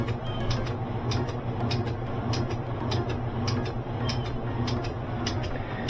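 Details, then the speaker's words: Kenmore 70 Series direct-drive washer that won't spin: sharp clicks about every half second over a low motor hum as the start switch cycles, with the motor dragged by a blockage in the water pump. "can hear that switch throwing out back and forth. If it was a start capacitor, it would I think it wouldn't even start, it would just hum."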